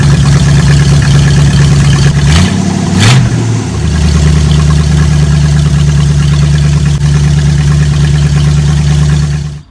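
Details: Old carbureted Oldsmobile after vacuum-advance distributor swap and new plug wires, initial timing 20 degrees advance: steady even idle, one quick throttle blip returning cleanly; normal idle.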